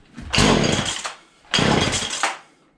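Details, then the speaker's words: Husqvarna 235 X-Torq chainsaw revived after long storage, primed, on full then half choke: two short bursts of revving that die after about a second. Hard starting and stalling; owner suspects old fuel, a poor fuel pickup or a bad spark plug. "i'm surprised it still fires up i'm thinking there's just a little bit of old fuel in there or maybe the spark plug is a little iffy that needs to be changed up"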